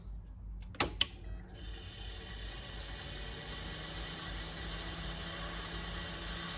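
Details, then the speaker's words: Olivetti M280 80286 MFM hard disk at power-on: two sharp clicks, then a steady high whine with rough hiss; drive judged dead, grinding and whine at power-on. "This is absolutely not gonna work."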